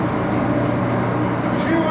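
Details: Axelson 14x30" heavy-duty gear head lathe run through its speeds, headstock filled with AW68 hydraulic oil (about SAE 20); steady loud gear whine with several constant tones over motor hum; noisy but normal running.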